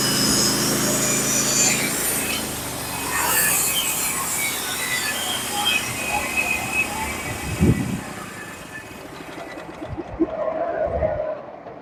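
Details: Norwood HD36v2 bandsaw mill with sharpened Stellicut (stellite) band and new roller guides cutting Red Oak deck boards; steady hiss and rasp of band under even engine drone, no chatter or labouring: clean cut.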